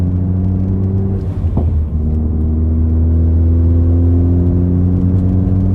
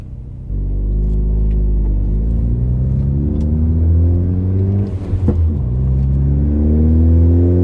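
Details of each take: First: Loud-exhaust Ford Focus ST after fitting a rear parcel shelf trunk cover: steady, deep low drone at light cruising throttle with little cabin resonance, now at about idle decibel level; exhaust drone reduced. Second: Ford Focus ST with a loud exhaust, climbing a hill under load: a deep, booming drone that slowly rises in pitch and fills the cabin, exhaust drone.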